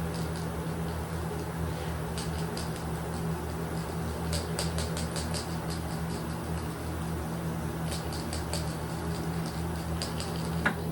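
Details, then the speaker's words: Greener KK HD electrostatic powder coating gun with kV set quite high, coating a bird bath: low steady hum with scattered sharp snapping crackles every second or so; electrostatic arcing, should not spider the work if kept back. "I can hear it crackling but as long as I stay back it should not spider the work"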